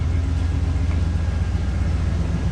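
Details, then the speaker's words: 2007 Ram 1500 after replacing the leaking rear axle bearings and seals, run on stands with the rear wheels spinning: a low, smooth driveline rumble with no grumble, growl or groan; the axle bearings sound fine. "we've got the tires turning anything leaking anywhere I don't hear anything there's no grumbling there's no groaning"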